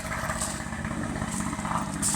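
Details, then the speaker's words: Outboard just restarted after submersion: loud, busy two-stroke buzz holding steady without misses or stumbles; running normally. "So, now it's up and running."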